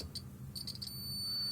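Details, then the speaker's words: Rotex RHM 125K 125 W mixer, multimeter continuity test of speed switch contacts: high steady beep in bursts then continuous; contacts close on at least one speed, switch works. "як мінімум на одній передачі є є є є є Тобто наш контакти наші справні значить переключатель ми перевірили переключатель переключає"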